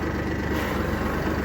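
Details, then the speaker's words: Kubota tractor with hydrostatic transmission, parking brake set during neutral/safety switch linkage adjustment: steady diesel idle under constant strained whine of hydraulics pushing against parking brake; hydrostatic transmission whine against parking brake. "You hear how it whines, those hydraulics against the parking brake."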